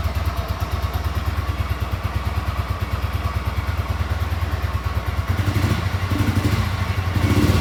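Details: Frame-up rebuilt 1973 Yamaha TX650 twin, 17,099 miles, with rebuilt carburetor, top and bottom end, new headers and mufflers: cold start on choke catches and settles into an even, steady thumping idle with light throttle blips; normal cold start idle.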